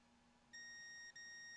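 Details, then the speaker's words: Multimeter continuity test on a cleaned, regreased stereo switch from a VT70 tube amplifier after repair, switching positions: clear high steady beep with one brief break, then again; switch contacts have solid continuity. "So we're set up on continuity, so you should hear that. There's a little bit of crud on there on the bottom side, but I have continuity."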